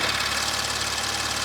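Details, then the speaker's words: Audi RS5 on cold start, mic close up: fast, dense metallic rattle over engine hum from the wastegate; wastegates not stuck open or closed; owner weighs upgraded stage 3 turbos or OEM replacement. "It might be a little loud, but it just sounds like metal rattling and it sounds terrible."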